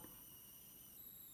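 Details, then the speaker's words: AllPowers S700 V2 power station charging converter (PWM controller, capacitors and transistors replaced) at low power, about 20–61 W: a high thin steady whistle stepping to a new pitch; the start is unstable and whining shouldn't occur. Owner suspects the choke or the transistors. "але є писк писку бути не повинно Я не розумію що відбувається заряд нестабільний"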